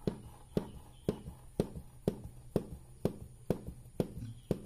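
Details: Honda Beat carburetor scooter engine: a dull, regular "glek glek" knock about twice a second over a low idle hum, first suspected as piston or connecting rod; actually a loose crankcase bearing seat.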